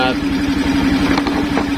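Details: Suzuki Skydrive scooter after fitting a Mio regulator-rectifier (kiprok), battery disconnected; small single-cylinder ticks over with an even, steady beat, no misses or stumbles; normal idle with the battery off.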